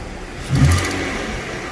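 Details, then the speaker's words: 2014 Ford Explorer: a quick rev brings a hissy, scraping puff with a faint squeak at the end, exhaust escaping past the bottom of the manifold gasket, heard through a clear hose at the manifold. "It's coming right from where that gasket is. You hear it too, and it's just, and you hear that little squeak right at the end of it, and that's because the air is escaping past the gasket"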